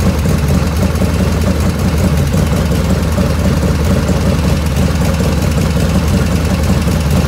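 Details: 1985 FXR V-twin at idle after carb float set, 49°F ambient: even, loping idle with a faint light ticking that grows as the oil warms after a dead-quiet cold start. Owner rules out oil restriction and blames the S&S lifters; the rear intake lifter is noisiest.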